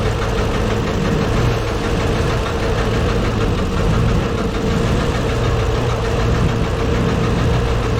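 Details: Deep rumble with an uneven knock under a rough, loping idle, valve cover off. Valves partly dry, all moving. Owner suspects the cam or a valve. Penetrant tried; source unconfirmed.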